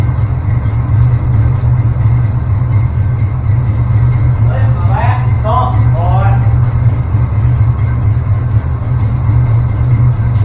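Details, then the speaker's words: Small-block Chevy V8 just started after finding top dead center, distributor twisted by feel until it fired: low rumble settling without misses, idle evening out as it warms. "So, that got us close enough that it would start. I just twisted the cap a little bit once it wanted to fire until I felt where it was. You can hear the engine starting to get a little happier."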